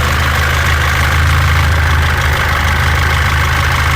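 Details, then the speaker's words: 2014 Mitsubishi L200 Triton 3.2 diesel, 254,000 km, noise worse when warm: idle clatter with an intermittent loose metallic rattle about three to four a second from the worn timing chain, before chain kit replacement. "o barulho da corrente comando Ó tem hora que para tem hora que faz a gente vai trocar aqui o kit Corrente Comando dela"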